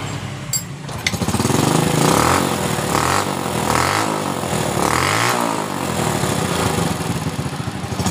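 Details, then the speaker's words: Honda Supra Fit motorcycle after repair of dying on throttle (spark plug refitted); small single-cylinder revs climb and drop cleanly several times without bogging or cutting out; now takes throttle. "dan ini sudah bisa di gas"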